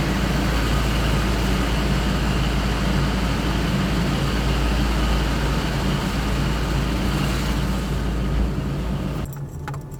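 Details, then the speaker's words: 1991 Toyota Land Cruiser, gasoline, after idle/throttle troubleshooting with throttle body clean and parts in spec, warmed up: low, steady, even rumble at 750 rpm with no stumbling or hunting, idle up with AC on; idle fixed, valves still need adjusting. "sitting there idling at 750 excellent our idle is solved idling at 750 idle's up with the air conditioning turned on everything's perfect"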